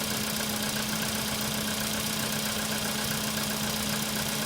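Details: Steady cold idle on a CFNA engine with a fast, light ticking knock of roughly four a second over a constant hum; cold-start engine knock, cause unclear.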